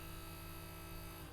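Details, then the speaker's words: Original fuel pump from a 1969 Mercedes 280SE, sat for decades, bench-tested on jumper leads with impeller removed, recorded up close: smooth even electric buzz, then fading; motor spins freely and sounds good. "Oh my goodness. Listen to this. Let me get it up close. Listen. She sounds really good, doesn't she?"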